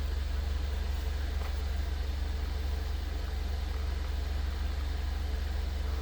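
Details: 2015 Mercedes-Benz CLA250 after a repair cured a crank-no-start with low fuel pressure codes P008700/P1CCF00: smooth, steady low idle with an even pulse about three per second, no stumbles or misses; running properly.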